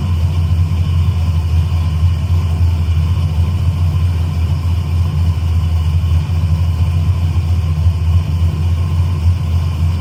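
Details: Carbureted engine at a steady, even low idle with no misses after a new engine install; the mixture was readjusted for a different air setup, the wideband reads on target, and idle quality changed; normal idle.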